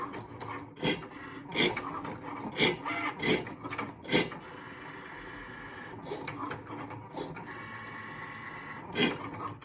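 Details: New Cricut Maker, purchased 2/6/21, grinding since first use: dry, raspy scraping in repeated bursts over the motor whir as the carriage passes, with the blade near the middle; cause unknown.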